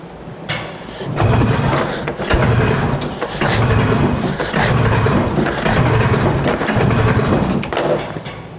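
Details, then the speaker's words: 1981 Arctic Cat El Tigre snowmobile free-air engine, compression test on the PTO-side cylinder with throttle open: cranking about once a second with firm, even compression chuffs, no hiss; reads 150 psi, mag side 140, healthy. "150. That's a very healthy cylinder."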